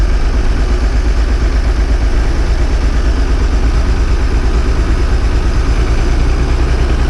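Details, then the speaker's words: Old bus diesel, cold start after last week's fuel pipe move, started without easy start: low, uneven, lumpy wandering idle, smoking cold; air drawn in where the fuel return is all wet. "What I found this week is not everything is dry. Around the return is all wet."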